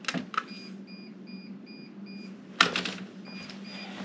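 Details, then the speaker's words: Greenworks 80V battery snowblower in a bitter North Idaho winter, restarted after 17–18 minutes of use: quick high beeps about 2.5 per second with blue battery-cold icon; that battery was completely dead. "I came back to turn the snow blower back on, and I get this beeping noise."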